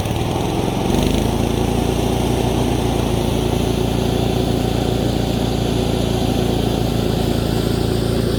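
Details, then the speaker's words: 1987 Craftsman GT18 lawn tractor after a tune-up, on a test run: steady, fast, even engine drone with no hunting; the engine speed is set slightly high and needs turning down at the throttle spring. "i gotta turn the rpms down a little bit there's a spring up there i gotta turn down"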